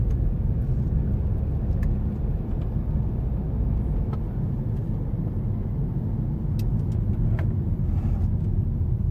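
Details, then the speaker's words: 2016 BMW X3 2.0-liter turbo driving at cruise after engine flush and Amsoil 0W-20 full synthetic oil change: steady low road rumble, no knock, tick or whine; engine smooth, quiet, feels better than before. "The motor feels nice and smooth. Feels a little better than before, that's for sure."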